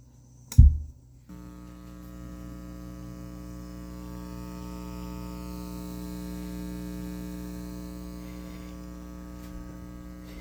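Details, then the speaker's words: Self-powered studio monitors switched on: a thump, then a steady low mains hum with a buzzy edge that never changes; ground loop hum, eliminated with a ground eliminator plug. "just wanted to make a quick video. If you're experiencing an annoying hum out of your self-amplified studio monitors like this, let me turn it on."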